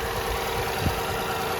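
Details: 2006 Toyota Highlander 3.3 L, just after water pump replacement: quiet, steady idle hum with an even beat and no ticking, knocking or misses; running and firing well, with no leaks found.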